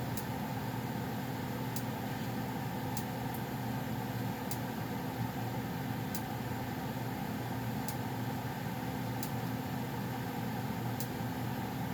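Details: Goodman gas furnace around shutdown (owner notes popping at shutoff): steady low hum with soft airflow hiss and faint light ticks every second or so; running normally.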